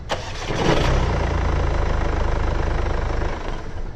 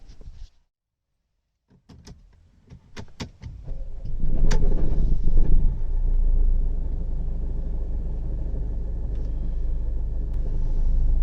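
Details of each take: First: Mercedes CLA 200d diesel after replacing the flywheel with an OES part, first start: brief crank, clean catch and steady, even idle, the previous start-up rattle gone. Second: Mercedes CLA 200d diesel starting up with no check engine light: a few clicks, then a rough, loud, prominent rattle that settles into a low idle. Flywheel rattle at start-up and low rpm.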